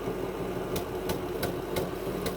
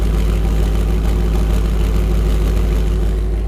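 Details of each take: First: 2000 Ford F-250 Super Duty 5.4 L V8: intermittent rough idle, uneven exhaust beat with sharp irregular puffs; misfire, injectors and plugs tested working, owner suspects intake manifold gasket leak. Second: 2000 Ford F-250 SD 5.4 L (330 CI) at idle, heard at the exhaust after earlier intermittent rough idle and a miss blamed on the fuel injection: even, steady pulses with no skips; the engine barely shakes. Normal idle.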